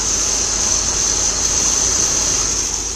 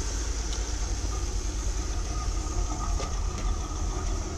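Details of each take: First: 1981 Chevrolet Corvette C3, non-original engine, at idle: a steady, piercing high whine that never changes pitch sits over a smooth idle; owner thinks the alternator is noisy. Cause suspected, not confirmed. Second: 1981 Corvette C3 V8 at idle on the stock exhaust, owner planning chrome side pipes to make it louder: low, soft, smooth, even burble with no knocks or leaks; normal idle, stock exhaust.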